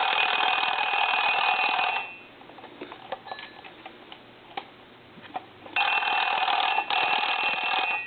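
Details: Paris desk-style telephone converted to touchtone, final checkout after repair: bright, fast metallic bell trill in two even ring bursts with a quiet gap, both bells striking cleanly; ringer working normally.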